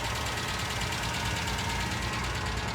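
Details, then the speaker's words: 1998 Ford Ranger 4.0 L V6, automatic, 62,000 miles, rough idle with fast steady ticking-knock; source unidentified, needs mechanical work. "It will need mechanical work though. That 4.0 is steady ticking."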